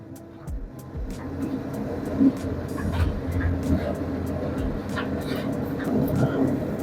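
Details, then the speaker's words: Candy RapidO front-loader washer-dryer starting its spin cycle, before RPM rises: loud rumbling roar with rattly knocks; worn drum bearings and tub seal, needing replacement. "Now you can hear the noise. It is abnormal. That's mean actually bearing already gone. Very loud noise coming from the machine."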